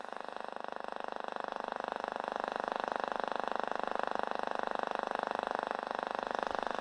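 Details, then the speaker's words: Steady raspy buzz with fast regular ticking, about three or four a second, over a vintage radio receiver under repair; outside interference, suspected to come from nearby switch-mode power supplies, not confirmed. "something interfering here but I suspect it's um it could be any of these switch mode power supplies down here"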